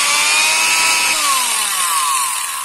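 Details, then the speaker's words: Electric angle grinder serviced for a rough-sounding motor, run after service: a high, steady motor whine winding down smoothly at switch-off with no scraping or rubbing, now running quietly and healthy. "Oke sekarang kita coba untuk menghidupkannya dan kita lihat suaranya sudah anteng pemenang"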